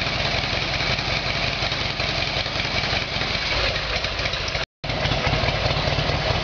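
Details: Harley Evolution Sportster after a carburettor fix, cold start on choke: even, rapid popping idle that stays steady with no misses, backfires or mechanical knock. The twin is warming up cleanly.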